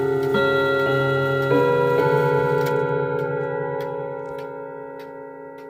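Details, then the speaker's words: 1940s Manufrance box clock (1945–46) with a Girod movement, long pendulum and Saint Etienne rod chimes. The chime melody rings over steady ticking, but some rods sound flat and the strike is slightly off pitch: out-of-tune chime rods. "Uh but I'm warning you that this is not the best sounding example out there. Uh it sounds a little flat and the strike is a little out of tune."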